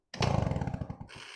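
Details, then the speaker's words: Old two-stroke moped bought for restoration, engine spun over with wind-up spring starter; quick run of even chuffing pulses fading within about a second; engine turns over freely, not seized. "You hear that, guys? This bike is free. This one actually might be able to get running."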